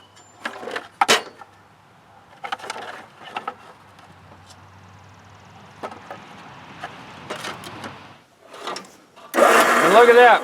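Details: Wrecker front electric winch after repair of the solenoid connection, battery reconnected: quiet handling clicks, then a short loud motor whir as it spools in strongly. Electric winch running normally.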